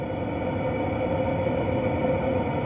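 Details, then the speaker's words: VEVOR 8kW diesel air heater in an M35A2/M109A3 camper truck, heard at the exhaust chimney outside, fully up to speed: even steady exhaust rush with low hum, no pops or surges; smoke barely visible, burning clean and normal. "seems to be burning pretty clean so I'm really impressed with that it's completely up to speed now blowing really hot air out of there"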